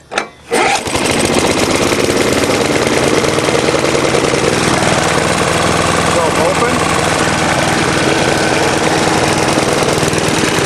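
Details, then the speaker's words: Older Briggs & Stratton Choke-A-Matic mower, cold start with air cleaner cover off: catches and runs with a busy, slightly heavy, uneven beat, a touch loaded up; running a bit rich, needing carburetor screw adjustment. "it sounds like it's running a bit rich make your adjustments through"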